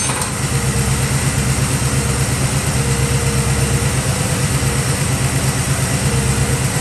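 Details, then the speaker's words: 1965 Chevy Nova wagon V8 after fitting a Holley 600 cfm four-barrel and Edelbrock aluminum intake with floats set, idled down: low, steady, even loping burble with no misses or ticks; throttle response much improved, belt seems slightly loose. "I had throttle response. I'm super excited. That's way better than it was before."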